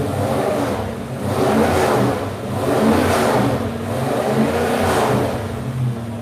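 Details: Numbers-matching V8 freshly rebuilt, cam broken in, carburetor fitted and air-fuel ratio set, revving up and down through repeated throttle blips smoothly and evenly with no knocks or misses; sounds healthy.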